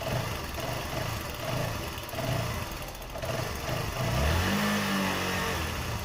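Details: Motorcycle electric starter after cleaning carbon brush dust from inside the starter motor (brushes still usable), reassembled: pulsing crank for a few seconds, then the engine catches and rises into a steady run; starter now working normally.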